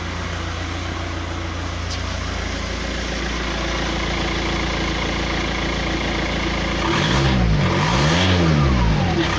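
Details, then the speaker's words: 2007 VW Touran diesel, about 117-118k miles, idling then revved: sharp, even puffing tick that quickens with revs; front exhaust gasket blown, suspected from back pressure of a blocked DPF. "it's just back pressure is just blown past the gasket at the front have a listen and uh i'll show you what it sounds like"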